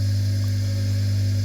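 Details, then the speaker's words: Vintage GMF bench grinder after restoration with new bearings and electrical safety upgrades, first test run: steady smooth motor hum with constant low tone, no rumble, rattle or bearing growl; runs sweetly. "Oh, look at that. Doesn't that sound sweet? 2 thumbs up."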